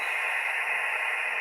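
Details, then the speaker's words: Ham radio receiver (Yaesu FT-817ND) on a random wire antenna at a campsite, with fans off and LED light ruled out: steady loud hiss with no signal; high receive noise picked up by the antenna, far worse than the 20-foot pole. "So that's just how much noise the random wire is getting compared to my 20-foot pole."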